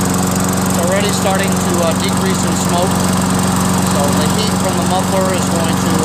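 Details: Toro Recycler 22-inch self-propelled mower, 6.5 HP Tecumseh, after clearing hydrolock oil, a carb clean with new needle, gasket, bowl, float and bowl nut, and fresh gas: steady, even drone with no misses, surging or knocks; running normally.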